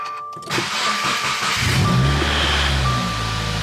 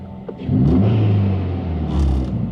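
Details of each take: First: 2018 Subaru WRX true cold start after intake reassembly while chasing a suspected vacuum leak (AF learning near -30 at idle): cranks, catches, settles to a steady low hum, then stalls; cause unconfirmed. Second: 2018 Subaru WRX after vacuum leak hunt and intake reassembly, AF learning now within spec: smooth idle then quick clean rev blip rising and falling evenly, no hiss or stumble; normal rev, leak believed fixed.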